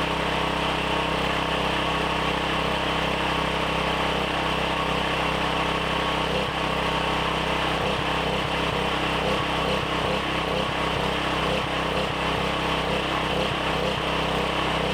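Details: Briggs & Stratton 7,350 W surge / 5,250 W generator after replacement carb, custom air filter and tune-up, throttle set by rough guess with no load: steady, fairly even buzz at constant speed with no surging or hunting; normal running.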